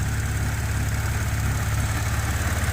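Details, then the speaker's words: Audi A6 3.0T after 034Motorsport high-pressure fuel pump piston upgrade, started with fuel system already pressurized: smooth even idle, steady low hum, no tapping, ticking or leaks; healthy. "But so far so good, no leaks, no sounds. I've seen a few videos on these when people put this back together that it makes a loud tapping sound for a minute."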